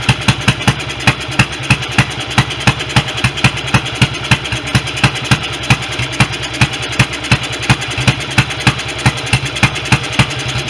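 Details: BSA B31 single-cylinder motorcycle, restoration first start, magneto ignition, no air filter gauze, running on 30-grade oil: uneven, lumpy beat of about three to four pops a second with misses; carburation (jet too big) and ignition still need sorting.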